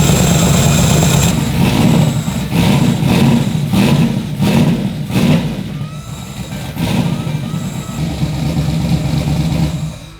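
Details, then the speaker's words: Turbo Chevy Nova V8 first start on ethanol, fuel pressure being set, new plugs: lumpy, uneven idle with a stumbling beat and flat revs. Temp gun confirms two cylinders dead; coils or overfueling suspected. Misfire on two cylinders. "pretty obvious that it's not firing on all those two cylinders you can hear it and then the temp gun obviously confirms that"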